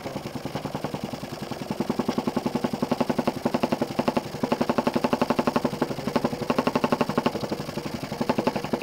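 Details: Jensen 20G engine, bought used, with a homemade rubber or silicone cylinder seal; hard rhythmic bumping about four beats a second, matching each stroke, from a seal fragment loose in the cylinder. Fixed by remaking the seals properly.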